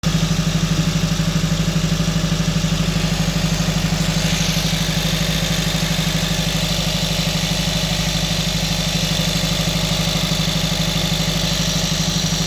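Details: Regular stumble, about three beats a second, at high idle on a 2012 Honda Civic Si: scanner logs misfires on all four cylinders, but scope shows only the #4 injector not being driven by the ECM; ECM needs replacing.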